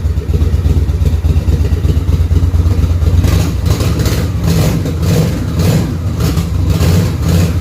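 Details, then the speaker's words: Motorcycle that had been sitting a while, now firing on both cylinders: deep lumpy idle with an irregularly stumbling beat as one cylinder runs sporadically; owner blames the carburetor, which still needs cleaning. "I can tell one of the cylinders is a little sporadic. That's carburetor issues, but it's running on both cylinders,"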